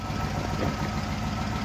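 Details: Rover SD1 3500SE V8 after gearbox conversion and carburettor fuel leak fix: steady, even idle with a smooth low beat, no misses, knocks or ticks; the engine sounds healthy.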